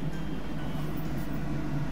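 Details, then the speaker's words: Kitchen hood fan refitted after full cleaning: steady even whoosh of air with smooth low hum, no rattles, scraping or extra noise; running normally. "এই যে দেখুন হুডটা কিন্তু চলছে, আপনারা ফ্যানের শব্দ শুনতে পাচ্ছেন এবং এক্সট্রা কোনো নয়েজ নেই, যে ঠিকঠাকভাবে আসলে চলছে।"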